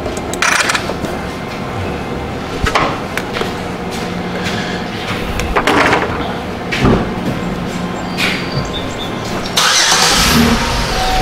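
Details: 2005 Chevy Equinox 3.4L with the main relay reinstalled: short cranking bursts, then the engine catches and settles into a running note, starting normally.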